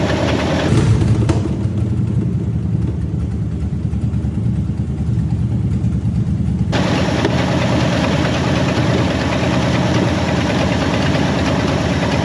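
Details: 1967 Ford Mustang fastback rescued from West Virginia: cranks, catches and settles into a loud, uneven, shaking idle; rough running with a suspected miss blamed on heavy corrosion.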